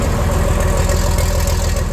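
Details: Tractor with repainted hood, heard running from the outside: steady, even diesel chug about eight pulses a second, no misses or knocks; healthy idle ready for work.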